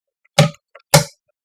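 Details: Submersible pump starter: two crisp, solid clacks about half a second apart with no hum between them. The contactor pulls in and releases cleanly after its kit was changed to fix a humming fault. Normal contactor pull-in.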